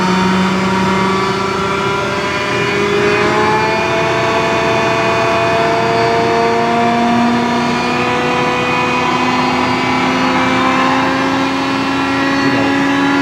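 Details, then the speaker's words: John Deere Green F12 090 hydraulic motor bench-tested after teardown and cleaning (no damage, backlash 1.5–1.75), run unloaded at high RPM: smooth even hum rising with speed, no squeal; customer's reported squeal not reproduced. "I don't hear it sqeauling. Try it the other way? All right. No noise that direction."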